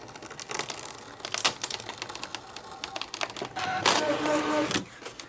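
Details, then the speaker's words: Brother ScanNCut (DX or CM) cutting heavy crepe paper, settings unchanged: sharp, uneven clacks and smacks, two or three per second, through the cutting run, as if something inside is knocking; cause unclear, and the cut came out with an odd tail. "Listen to that noise it's making. Holy cow smacks. What is that awful noise? Good God, Gertie. That just sounds awful."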